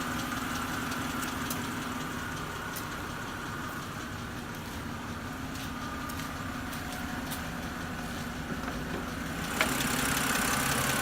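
Steady idle with a light, fast, regular ticking over the engine hum, about three to four a second; sounds like lifter tick.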